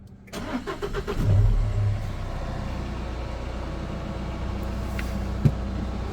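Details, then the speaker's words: Peugeot Expert 2.0 HDi diesel after timing chain and injector seal repair and walnut-blasted intake valves: catches after a few turns, revs briefly, settles to an even idle with no chain rattle; normal start and idle. "And listen, no chain noise, that's all gone. So everything is now nice and quiet."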